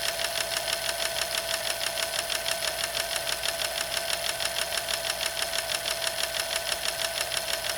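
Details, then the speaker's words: Sewing machine running: quick, steady light clicking on every stroke over a high whirring hum, like out-of-adjustment lifters, more pronounced as speed increases; varnish inside the bobbin actuator, needs work. "if you listen real carefully over here you hear that little clicking sound it almost sounds like on a car when the lifters are out of alignment a little bit listen real carefully"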